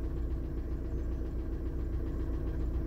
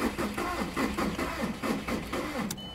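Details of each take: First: Warm 2000 VW Jetta TDI diesel idling after a head install with a used piston and rod and new glow plugs: steady low clatter, even rhythm, no misses or knocks. Runs healthy, a normal idle. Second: 2000 VW Jetta TDI just after a head reinstall with a used piston and rod and new glow plugs: slow, weak, labored cranking at about three compression beats a second with no firing. It later started and ran, and injection timing was then checked.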